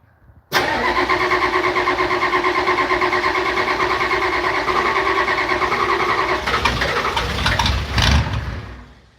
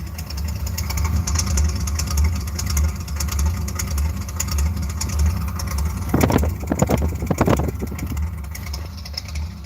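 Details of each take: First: Old IDI diesel, cold start after glow-plug warm-up: cranks and catches at once, then settles into a steady rough chugging clatter about three beats a second, normal. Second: Ice cold and hard to start: rough, lumpy idle rising and falling about every half second, surging, sounds cammed; won't rev past about 2,000 rpm cold, owner suspects electrical issue.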